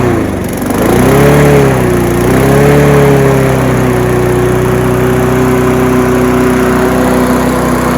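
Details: Honda HR173 mower after detailed carb clean, first start after fuel added, tested outdoors: small single-cylinder catches, hunts up and down briefly, then settles into a steady, even run; running normally.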